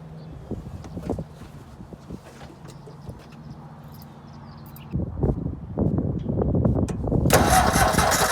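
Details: Ford 4040 industrial diesel tractor test run after an injector rebuild and new injectors, not fully cold but cold-start procedure with glow plugs; slow uneven cranking, then catches and builds to a steady clattering idle; normal diesel cold start.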